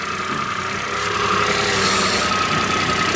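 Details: Peugeot 107 three-cylinder at idle on a cold day, just after a coil pack replacement; steady, slightly uneven beat typical of a three-cylinder, with no misfire or knock. The idle is normal.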